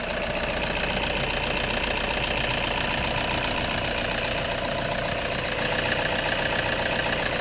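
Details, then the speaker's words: Toyota Hiace 2.5 D4-D diesel, one-owner van with service history, at idle. It runs smoothly and steadily with only soft light clatter, no knocks, misses or hunting: a very quiet, healthy engine. "A mociát még hallgassuk meg, mert azt érdemes, tényleg nagyon csendes és nyugodt járású motor."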